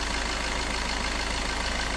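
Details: Suzuki Ertiga common-rail diesel, after an engine teardown for a cracked camshaft holder; oil had seeped from a cracked oil passage to the vacuum pump: even, steady idle with a smooth low rumble and no knocks or misses.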